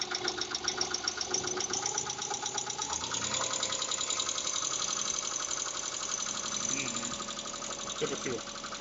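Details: Mitsubishi Pajero 4 3.8 at idle: fast, light, even ticking above the firing beat, noisy hydraulic lifters.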